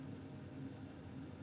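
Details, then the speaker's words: Bryant 311JAV two-burner gas furnace, about 15–16 years old, just after ignition: low steady rumble of the inducer with burners lit, smooth and even with no rattles or booming; normal furnace burner operation. "There it goes. We have ignition. Sound of victory right there."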